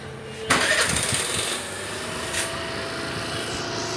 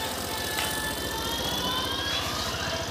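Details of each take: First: Suzuki Access 125 BS6 scooter after an idle adjustment: starter whirr, then a fast, busy buzz that never settles, so idle rpm is still too high. Further adjustment planned; the sensor may need replacing if that fails. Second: Suzuki Access 125 BS6 scooter after idle RPM adjustment to fix high RPM: even, steady low putter at idle with no hunting or surging, background music; idle now correct and rear wheel not creeping.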